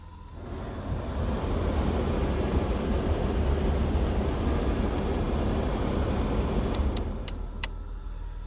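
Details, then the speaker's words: 1996 Nissan Maxima with 242,905 miles, engine running, AC on: blower gives a steady low whoosh with no squeal or rattle and a few light clicks at the end; blowers work great, but no cold air (compressor or refrigerant suspected); normal blower. "I don't know if you can hear that in the video but the blowers work great but either a compressor or a refrigerant issue something like that keeps it from blowing cold"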